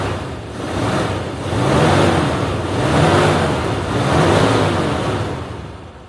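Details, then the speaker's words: 1956 Bentley S1 Saloon, 70,000 miles, just started with key, barely audible, bonnet closed, recorded on a cheap camera microphone: soft, even engine hum swelling gently with no ticking or tapping; healthy normal idle. "It is the weirdest mechanical machine ever. Just no noise. Yes, that is running."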